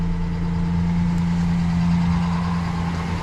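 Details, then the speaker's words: Rebuilt Ford Ranger 4.0, first run up to temperature, about three minutes in, its longest run yet, with a new accessory drive kit and water neck fitted; smooth, steady low idle drone with no knocks or misses while warming up. "this will be the first time going up to temp um pretty much it's about to be the longest it's ran since i've had it and it's only been about three minutes"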